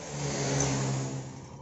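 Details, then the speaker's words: Honda CB150R engine running rough and noisy: dry, busy clatter over the exhaust, worse with revs; suspected loose or stretched cam chain or cam chain tensioner adjustment. "motor ini ada masalah pada bagian mesinnya emasnya itu bunyi kasar banyak kletek-kletek"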